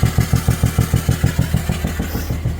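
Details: BMW 330d M57 diesel, two years since last failure, down on a couple of cylinders with heavy blow-by, starting to run away, oil in the intake: rough, lumpy uneven clattering beat; failed turbo with melted pistons.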